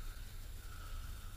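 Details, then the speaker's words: Restored fishing reel, cleaned and greased with Corrosion X; soft, even whir with a faint hum and no catches, clicks or grinding as it winds, perfectly smooth. "you can hear the smoothness of this reel okay perfectly smooth drag a perfectly smooth trip"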